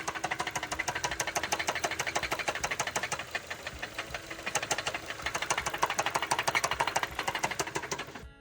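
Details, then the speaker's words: Running engine with a sharp, regular knock of about three a second, which started suddenly and gets louder on acceleration; diagnosed as rod knock, needing a new engine. "customer said this knocking noise just started out of nowhere and that it gets louder when you accelerate they weren't too happy after being told it's rodn and would acquire a new engine or"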